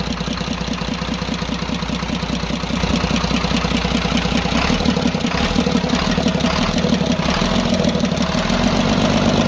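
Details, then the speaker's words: Cummins 340 24-valve diesel truck engine that suddenly became noisy, smoked from the silencer and lost power. With the tappet cover off at idle, a regular tick is loudest at cylinder one. Rocker/tappet clearance is suspected and is to be checked and adjusted. "यहां पर आप गौर करें एक number की तरफ से ज्यादा आवाज सुनाई दे रही है"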